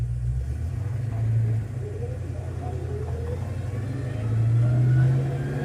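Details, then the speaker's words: 1982 Ford Mustang GT on a slow roll after rear axle work for suspected bent axle; thin whine rising in pitch with speed over a low rumble, rear differential gears still whining, but the earlier bouncing noise seems gone. "You can hear those those rear gears are still whining a little bit. But I'm not hearing that we've had lately."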